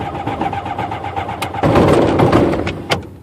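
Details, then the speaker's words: Rotax aircraft engine, brand-new Odyssey 236 battery, choke on, hard starting on cool days: uneven cranking then a sudden louder spin with no firing; the prop stops while the starter keeps going; owner suspects the starter clutch. "Today it's actually stopping the prop and I can hear spinning when it stops, like the starter keeps going."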